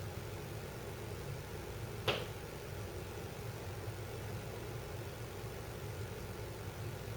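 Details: Mom's house, heard from the kitchen: a single sharp metallic pop over a steady low hum as sheet-metal ductwork heats up or cools down. Duct popping from thermal expansion.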